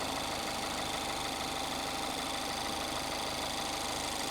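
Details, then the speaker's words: 2021 Mazda MX-5 former track car at a salvage auction: fairly even tapping about three per second over the idle, top-end tick; cam suspected, source unclear. "I would think that a Mazda engine a basic MX-5 would be quiet it wouldn't be just like like that"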